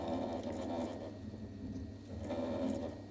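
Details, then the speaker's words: Very old boiler whose parts are obsolete; a low hum with a scraping, chattering noise that swells, fades and returns about two seconds later. It is not the pump: pushing the diverter valve shows the diverter is faulty. "See, when I'm pushing that? That's the diverter. So, we know what the problem is."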